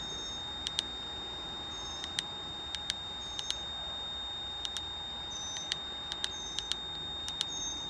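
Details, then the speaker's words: Nissan 240SX S13 with SR20DET swap, ignition on but engine off during SAFC2 setup; sharp high beeps, mostly in pairs, about every second from the oil pressure gauge's warning alarm. "just turned a cc do not turn the car on you will hear that beeping because it's our oil pressure gauge"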